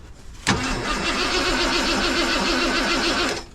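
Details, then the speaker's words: 1990 Ford F250 junkyard build, 351 5.8 V8, cat delete, fuel pressure present, cold morning, fresh battery with better terminals: starter cranks in an even chug about three seconds but never fires; crank no start, cause not found. "This battery is not much better, Johnny. Why she no fire?"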